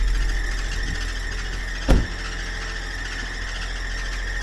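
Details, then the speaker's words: Chrysler PT Cruiser on cold start: steady high-pitched squeal at constant pitch over the engine; owner suspects a belt squeak, source not confirmed. "the PT still got has a little squeak to it but it sounded pretty good just a little belt squeak"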